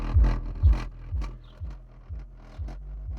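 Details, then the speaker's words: Alpine shallow-mount subwoofer running unmounted, not in enclosure: low bass thumps about twice a second with loose fluttery buzz, chuffing or rattling even at lower level; subwoofer rattle. "yeah you can hear his nois something all something almost rattling even on lower level you can hear something but yeah that's the Alpine moving"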